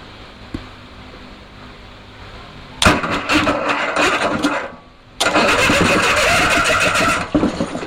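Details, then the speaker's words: Onan Performer 20 hp engine, sat about 5 years, on a table for John Deere 850 repower, after WD-40 in cylinders and pinching loose plug wire: two bursts of steady starter cranking with no catch; cranks but won't fire. "uhoh seemed like like she wants to fire"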